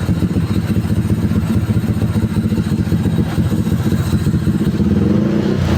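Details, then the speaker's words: Tuned Honda Stylo 160 with a 61 mm piston, about 9.5 cam lift, near-3 overlap, scraped valves/head, full filter, 38 inlet/50 outlet, 28 throttle neck and the CVT pulley not fitted: a loud, crackly rev with a fast, even beat and open exhaust bark; healthy. "Begitu men, suaranya lumayan ya. Mungkin karena nggak pakai puli kali ya, jadi suaranya kayak 5 TP, ya kan ya."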